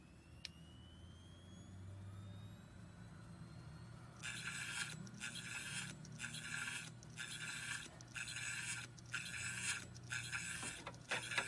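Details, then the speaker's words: Hitachi Ultrastar 500GB hard drive dated July 2009 with a failed motor: quiet spin-up, then from about four seconds a rhythmic hissing scrape about once a second; owner suspects shipping damage left the platter tilted, rubbing as it spins. "马达坏掉了。马达坏掉了，这边好像那个转盘会好像转动的时候会切到这边。"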